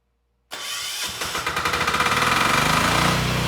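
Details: DuroStar DS7200 diesel generator with a 10HP 418cc Yanmar-clone single-cylinder engine, electric start with the decompression valve used; it fires within a second and settles into a steady, even chug. Normal start and idle; stator faulty, no power output.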